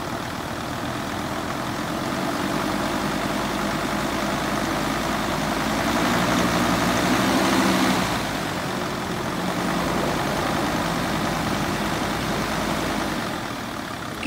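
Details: 2006 Mercedes Sprinter diesel, in drive against the parking brake with light acceleration: rough whirring rattle that swells as revs rise, from a failing fan clutch bearing.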